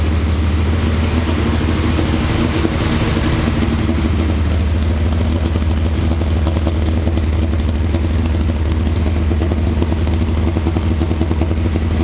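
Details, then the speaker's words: 1981 Laverda 1200 TS Mirage triple, cold on choke, first run since 2003 after new cam chain, valves set, base timing, rebuilt carbs, new airbox and exhaust; steady even low drone, no knocks or misses; healthy fast idle, slight carb fuel leak. "but anyway I'm thrilled started right up looks like I'm in the ballpark with my base timing settings and my base carburetor settings and it sure sounds healt"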